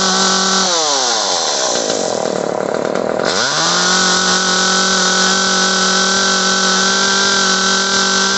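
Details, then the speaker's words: Echo CS-303T chainsaw, previously bogging on throttle, after turning the H carburetor screw about half a turn counterclockwise: high, even two-stroke scream that sags briefly then climbs back and holds steady; runs and idles fine now. "That turning it out that half a turn made all the difference in the world. This thing runs, idles, does fine now."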